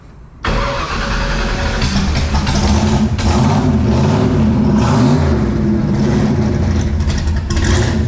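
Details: Drag-strip wagon with hall-effect crank and cam sensor trouble, cold start needing a little throttle: loud raspy run with rapid puffing tick over the exhaust note from an extremely blown exhaust header gasket.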